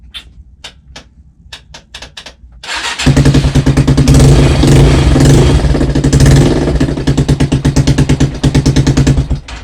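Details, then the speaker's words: Rieju Marathon 125 Supermotard single after tightening very loose battery terminals: several short clicks and a cranking attempt, then it fires and settles into an even thumping idle; hard starting, owner suspects a sticking relay or starter. "yeah i think it could be more than just battery terminals on that i think it could be a sticking relay or the starter anyway that's something to investigate"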